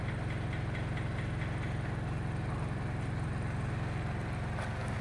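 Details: Mitsubishi Pajero Sport diesel at idle in park: heavy low throbbing rumble with booming body resonance, vibration vanishing around 1300 rpm and returning below; broken engine mounts, need replacement.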